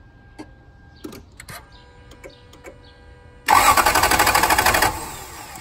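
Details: 1999 Toyota Land Cruiser 100 that cut out while stopped in reverse, after new fuel pump, filter, plugs, coils, cam and crank sensors, MAF and timing belt: a few clicks, then steady cranking about three pulses a second, never fires; owner suspects fuel, possibly ECM.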